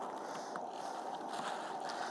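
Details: Coleman 335 pressure lantern dated January 1973, lit on old stored fuel; soft, steady hiss that never sputters or surges; it burns evenly and runs properly.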